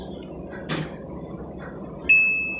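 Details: Eureka automatic washing machine after a no-power fault was repaired; a few faint clicks, then one clear high beep that fades as it powers on normally; normal power-on beep.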